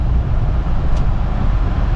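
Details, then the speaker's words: Honda that had a new mass airflow sensor fitted elsewhere, no check engine light or codes: shifted into gear, engine gives a deep uneven rumble that surges roughly and "gets really angry" instead of settling; cause not yet found. "You guys see that? It gets really angry."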